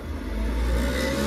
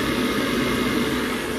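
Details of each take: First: Worcester boiler, case off, running hot water: loud tractor-like roar climbing as the fan ramps to full speed, where the boiler cut out after about a minute; worn fan bearing, parts ordered for replacement. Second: Boiler on maximum output, previously cutting out after a minute at max: steady even burner-fan roar, no rattles or whistles, fan pressure -6.7; normal operation at full fire, still running, CO2 maximum to be adjusted.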